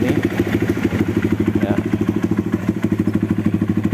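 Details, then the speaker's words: Honda CRF150L at idle: rough, uneven clatter about three times a second from the clutch side, quiet with clutch pulled, loud when released; clutch hub wobbles, worn clutch housing shaft bearing, engine to be split to replace it. "Tapi di bagian kelahar as rumah koplingnya itu udah kocak. Kita lakukan pembelahan mesin agar kelaharnya bisa diganti teman-teman."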